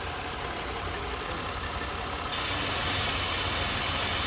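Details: 2011 Buick Lucerne 3.9L at idle with the PCV line disconnected: a loud steady hiss over the idle, jumping louder midway, as air is drawn through the open line; vacuum leak, engine runs rough.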